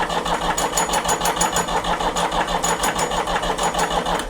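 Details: 1975 Ford 550 backhoe diesel after a fuel filter change: steady rhythmic cranking about three turns a second that never catches; cranks but won't start because of air in the fuel system.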